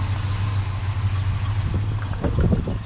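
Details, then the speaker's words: 1957 Chevy Bel Air V8 after 30 years off road, fuel leaks traced down and thought fixed, radiator leaking; starts at a touch of the key into steady, even low idle rumble, no misses or knocks; runs easy and good. "but it runs and runs easy and good touch the key and it's happy"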